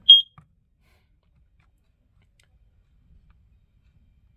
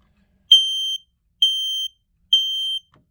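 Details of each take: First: Shrill beep near 3 kHz: a brief chirp, then a steady tone about six seconds later. A smoke alarm of uncertain sensor type (owner thinks ionization) sounding normally on test; owner notes the alarms are getting old. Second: Smoke alarm test-button beeps: three loud high-pitched half-second beeps about one per second, on a detector thought to be ionization type by a fire extinguisher; the alarms are suspected to be getting old.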